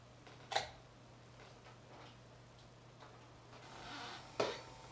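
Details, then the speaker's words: PS2 disc drive with an aftermarket Chinese replacement laser assembly: two sharp mechanical clacks about four seconds apart over a low drive hum as the laser sled crashes into its end stop, not detecting it; suspected defective assembly with bad metal. "yeah so that's crashing into the end stop because it's not detecting it reach the end won't harm it but"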